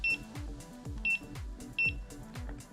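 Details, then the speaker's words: Begode electric unicycle entering calibration mode from the app's calibration setting: after confirming, the wheel goes limp and gives three short high beeps about 0.7 s apart over background music, confirming calibration mode. "it will give you a confirmation message and when you press confirm the wheel will go limp and beep three times during this time you can turn it off"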